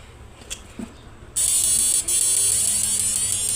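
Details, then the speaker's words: Modified Samus 988 Plus ultrasonic inverter with a universal PWM driver, running a 1000 W lamp load: steady high-pitched electrical buzz that holds under load with no crackle or dropouts; quiet, strong output, normal healthy inverter. "Hasilnya sudah mantap sekali, Mas Bro. Suaranya enggak berisik tapi outpesnya kencang sekali ini, Mas Bro."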